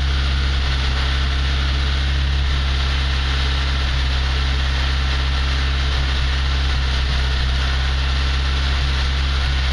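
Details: ZAZ Slavuta 1.2 carburetted engine with 2nd-generation LPG kit, cold winter start on gas (about -11°C outside), reducer warmed to around body temperature, clutch held while warming: low even idle drone, steady firing, no misses or knocks; normal cold idle.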